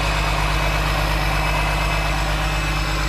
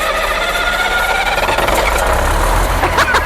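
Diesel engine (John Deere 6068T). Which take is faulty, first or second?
second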